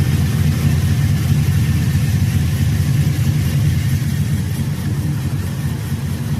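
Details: 2002 GMC Sierra 5.3L LS V8 after knock sensor replacement (codes P0327/P0332) and intake manifold reinstall: the engine catches and settles into a steady, even low rumble with no knocks or misses. Normal, healthy idle.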